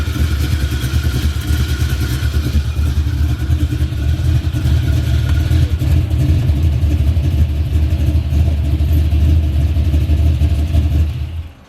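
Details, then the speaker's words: Chevy with V8, in drive after breaking on its first pass: loud, deep idle with an uneven clatter about three beats a second; something in the driveline sounds broken, exact cause not yet found, no fluid on the ground. "and now you put that joke in drive it making some noise let me let y'all hear"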